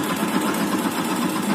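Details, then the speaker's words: Yamaha Byson 2012 motorcycle, used, about a month after purchase: quick light tek-tek ticking over a steady idle; top-end tick, cause unconfirmed, owner suspects worn piston/rings (also blowing white smoke from exhaust). "Mampus juga kalau banyak pun juga nanti palingan ada bagian yang penyebab bunyi tek tek tek tek itu juga itu faktornya mungkin ya."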